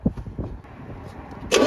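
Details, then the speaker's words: Cranking compression test on a 1987 Porsche 924S stored almost 10 years: steady starter cranking with even, regular compression pulses and a short hiss at the end. Compression reads 200–210 on all cylinders, healthy and balanced. "two now number one well just finish the last compression check it is 200 to 210 across the board"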